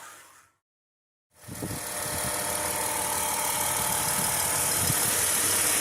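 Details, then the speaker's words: 2010 Chrysler Town & Country 3.8L V6, 110,000 miles, after replacing belt, idler pulley, tensioner and a faulty reman alternator with a second 160 amp unit: engine catches and settles into a smooth, even idle with no whine or squeal; sounds healthy. "what I learned was these remand alternatives can be bad right from the store the first one we bought from autozone the second one we bought from Advance Auto it's 160 amp alternator and it seems fine so even new ones can be bad"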